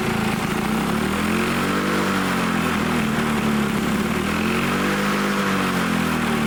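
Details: Old Lawn-Boy Loafer dual-engine rider, front mower two-stroke, dripping fuel after fueling, started on its own: buzzy note gently rising and falling in speed; carburettor untuned, main jet possibly plugged; running again.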